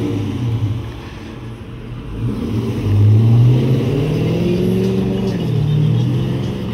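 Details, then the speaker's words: 2016 Dodge Charger R/T V8, 13k miles, with settled-in Gibson exhaust, drive-by: deep hollow burble swelling as it passes and revs, no misfire or rattle; normal V8 exhaust note. "All right, so I'm gonna do a little drive-by right now so you guys can hear the Gibson exhaust, because now it's kind of settled in. You can really hear its deep aggressive tone. It's nice hollow aggressive sound, pure Americana."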